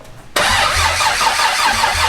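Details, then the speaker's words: Barra-swapped Mustang GT350, first start attempt: starter spins at an even cranking rhythm but never fires, sounding like no fuel; RPM reading flashes 250/0 while cranking, traced to signal dropouts and a poor engine ground. "It doesn't sound like it's getting fuel."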